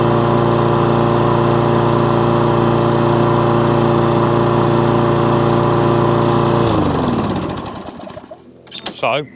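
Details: Toro Recycler lawnmower with an intermittent fault, test run: smooth, even drone for several seconds with no surging or cut-out, then a clean wind-down at shutdown; fault not showing, normal running.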